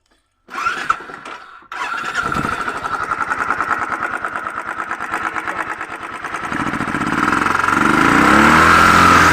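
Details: Royal Enfield Thunderbird 350X single-cylinder fires into a quick, uneven thumping idle, then revs climb with rougher, louder mechanical clatter; abnormal engine noise of unclear origin.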